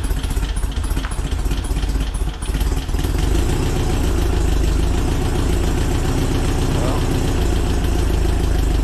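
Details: VW Split Bus engine upgraded from 1904cc to 1968cc with 92mm thick-wall cylinders, SuperStock 37/32 heads and Weber carbs: brief crank, then steady, even, deep idle with no knocks or misses; normal idle.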